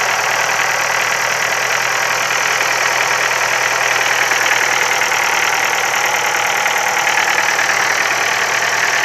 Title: Стук в двигателе focus 3, 1.6л, 125 л.с.